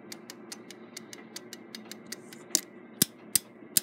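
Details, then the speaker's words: Gilbert long-drop octagon clock movement, spring-held winding click riding over the ratchet as it is rotated in the winding direction before letting the springs down: crisp, evenly spaced clicks about four per second; normal. "So what's going to happen here is there is a spring that retains the winding click against the ratchet, and that's what gives you the click, click, click sound when you wind a clock."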